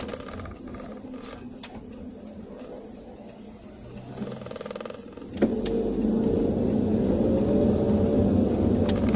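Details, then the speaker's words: Car driven on road with hard and full braking after cleaning the rear brake shoes and drum and checking adjustment: steady road rumble with faint soft bumps; the earlier rear tok-tok knocking when braking is gone, brakes quiet. "So far, wala na akong naririnig na tunog na tok tok tok katulad ng kanina"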